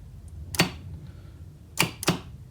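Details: FX5U PLC-controlled star/delta forward/reverse starter after tripping and resetting the overload: sharp single clacks, one then a pair a quarter-second apart, over quiet room hum; contactors pulling in cleanly, normal switching.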